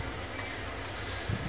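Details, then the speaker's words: Cooler mini fan motor after repair: it made loud grinding at high speed and slowed down because the bushes were worn out; bushes replaced, now runs smoothly with a steady low hum and airy hiss, no noise. "देखिए कोई भी आवाज इसमें नहीं है"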